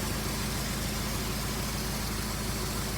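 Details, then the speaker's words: 2003 Honda CR-V after a timing chain repair: steady, smooth idle with an even low hum and no ticking or rattle. Owner hears a possible small exhaust leak at the rear. No fluid leaks, no smoke; normal idle. "does sound like we have a small exhaust leak in the back here maybe we're gonna deal with that later but it does sound really good"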